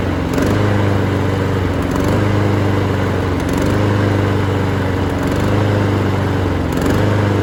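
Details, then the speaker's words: Honda HRN216VKA lawn mower being run dry for winterizing: engine hunts up and down about every second and a half, note sagging and recovering as the carburettor runs out of fuel, then dies; fuel starvation surging. "The HRN216VKA has been a great mower for about, you can tell it's surge, and then it's starting to die."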